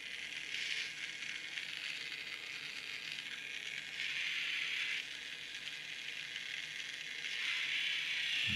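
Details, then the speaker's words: Magic Track toy car bought from a charity shop, before the fix: a thin, high motor whir with a loose, uneven rattle; the motor turns but the drive gear slips on the axle, so the wheels don't drive. "is true that looks like it's just the nightmare is slipping an axle"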